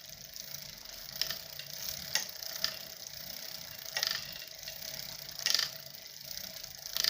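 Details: Bafang BBS02 mid-drive e-bike motor: sharp crackles about once per pedal turn over a faint motor whirr when pedaling at regular speed; cause was a slightly loose bottom bracket mounting nut on the left pedal side, fixed by re-tightening the mounting bracket.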